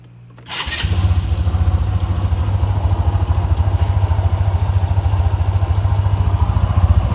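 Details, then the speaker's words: SYM Tigra 150 scooter after a DIY replacement of the camshaft, valve rocker arms, cam chain, chain guide and tensioner: catches after a short crank and settles into an even putter. The earlier metallic ticking is gone. "现在声音都正常了，那个金属的敲击声，那个声音现在都没听到。现在引擎声变很安静。"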